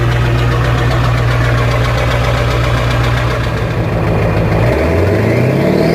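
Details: 1994.5 Ford 7.3 Powerstroke turbo diesel, cold start after glow plugs: loud, even diesel clatter at a steady cold idle, firing regularly with no miss and easing slightly lower near the end; normal cold idle.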